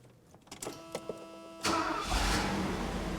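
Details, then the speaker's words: Mercedes R107 380SL 3.8 V8 just after a new distributor cap and rotor were fitted: the starter cranks briefly, then the engine catches cleanly and settles into a smooth, even run with no pops or misfires. "success listen that baby run okay that's uh one thing i can check off the list now"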